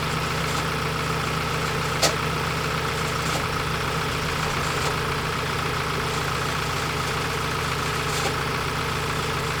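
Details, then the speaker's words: Ford Transit Custom diesel van running steadily, thin constant whistle above the clatter; oil pouring at bottom of exhaust with smoke; turbocharger bearings failed catastrophically, turbo later replaced. "the bearings on the turbo though foreign [Applause] just that's it catastrophic failure sir"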